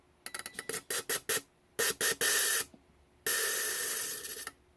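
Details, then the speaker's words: Volvo 850 fuel injector bench test with carb cleaner, solenoid pulsed by wire: sharp crisp hissing spray bursts, short then longer pulses, even pattern; clean, normal injector. "they're all pretty clean, and they all got a nice even spray pattern."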